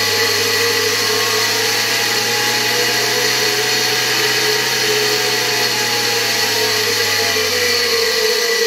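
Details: Hungarian Imi motor, tested on a regulator at reduced voltage: a smooth, steady high whirring rush over a constant low hum, no rattles or scraping; the motor runs healthy.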